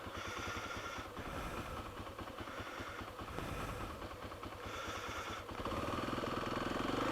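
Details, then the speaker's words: Kawasaki KLX300 single-cylinder after siphoning the tank and refilling with new gas, after washing the bike: uneven idle stumbling and surging about three per second, rough idle; owner suspects an obstructed fuel tank breather vent, not confirmed. "i washed the bike and you know so let's see okay well that's not promising"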